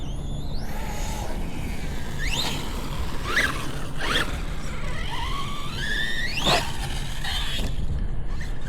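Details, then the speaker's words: Redcat Valkyrie RC car with a new 6S Hobbywing motor/ESC combo, driving: repeated rising whines with each throttle burst; the drivetrain sounds wrong, with a gear mesh that kept tightening suspected, or a motor still breaking in. "Yeah, it just doesn't sound right. Oh, you know, I kept having a problem with that gear mesh tightening up every time I try to tighten the screws."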